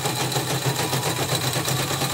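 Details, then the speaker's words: Portable CNY embroidery machine, tested in one direction after teardown and smoothing of parts: fast even stitching clatter with a harsh gritty edge; stitching is neat but the sound stays rough; the rotary hook remains to be rechecked. "Tapi ini rapi sekali, tapi masih bunyinya agak kasar ya. Jadi sudah dibongkar sini, sudah dibikin licin semua. Sini sudah. Ya. Tinggal rotary hooknya, coba cek ulang."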